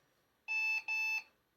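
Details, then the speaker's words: Secondhand bundle PC (i3 4150, 4 GB RAM, Windows installed) at first power-on: two short high-pitched beeps in a quiet room, a possible POST error code; owner unsure, maybe something not recognized or side panel detected. "I thought those beeps would mean it had an error code. Maybe it does. Maybe it's not recognizing something."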